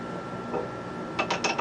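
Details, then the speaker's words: T96 transmission turned by hand at the input shaft with the gear slightly off-centre from neutral: sharp metallic clinks and ratchety catches of gear teeth hitting each other; must sit exactly in the middle. "It's gears, teeth, you know, teeth of the gears hitting each other. That's no good."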